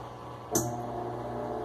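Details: Electrolux LTE12 washing machine with a new injector arm, on high spin: steady, even motor hum with one light click and no knocking or banging, spinning normally.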